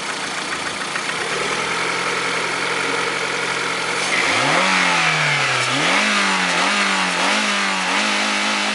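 Even idle, then quick blips of the throttle with a sharp repeating tick riding over the engine as revs rise; it sounds like a knock inside the engine. Cause suspected, not confirmed.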